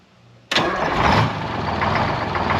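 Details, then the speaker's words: 1973 Peterbilt 352 cabover, 12V71 Detroit two-stroke diesel, first start since 1984: cold start settles into busy idle with faint uneven beat, one cylinder seemingly weak; good fuel and oil pressure, cause unconfirmed. "so a little bit of wall it's like one cylinder in particular so great fuel pressure oil pressure"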